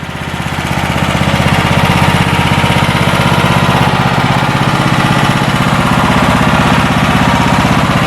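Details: Homemade bandsaw sawmill with a 158-inch blade, first time firing it up, run just barely above idle. The small engine settles into a fast, even putter with a steady beat and no misfires or knocks, and it sounds healthy.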